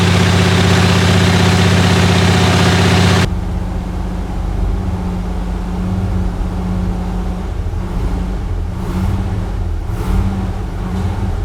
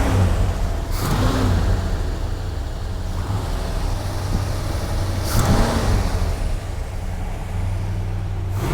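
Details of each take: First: Chrysler 300J with 413 Cross Ram V8, just reinstalled and started during carb tuning. Loud opening burst, then steady, even low idle with smooth rhythm while warming: normal warm-up idle. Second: Chrysler 300J with 413 Cross Ram V8 idling during carburetor tuning, lumpy low rumble with faint irregular puffing on one side; a possible exhaust leak is suspected, not confirmed.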